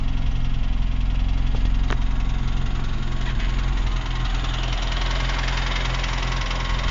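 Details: UZAM engine with revving: idling with a dull, regular knock of about two to three a second beneath the running note. Engine knock of unclear source.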